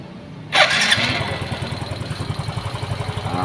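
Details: Yamaha Xeon GT 125 scooter with an engine rebuilt twice in one year using non-original rocker arms and camshaft, reassembled and started. It catches straight away and settles into an even, quick, steady putter at idle with no odd knocks, sounding healthy.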